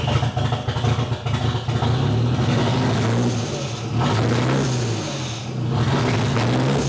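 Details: Nissan CA18DET half warm, last driven almost 2 hours ago, open downpipe: rough, stumbling idle with choppy exhaust pulses as it misfires and wants to die; plugs gapped correctly, no ECU codes; still misses at 800 rpm warm.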